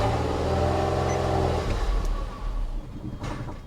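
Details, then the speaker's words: 1982 Cadillac Seville found at auction, battery reading 11.6 volts: engine catches and runs briefly, then sags and dies within two seconds; it is out of gas, causing fuel starvation. "what is wrong with this one sounds like a fuel issue doesn't it oh it is a fuel issue hold on oh she's out of gas"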